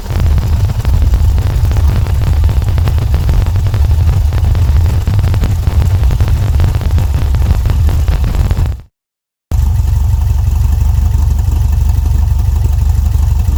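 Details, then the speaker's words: VW Volksrod air-cooled engine with dual Weber IDF carbs and EMPI distributor, not yet hot: deep idle with a slightly lumpy, sporadic beat after idle mixture adjustment; jetting and distributor issues remain. "still getting kind of a sporadic idle but it sounds good enough for me"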